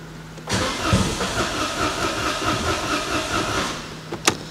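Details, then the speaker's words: Citroen AirCross 1.2 three-cylinder 82 PS with little fuel: starter cranks steadily about three seconds then stops without catching; cranks, no start. Owner suspects no fuel or a slow fuel pump. "like it tries and then doesn't"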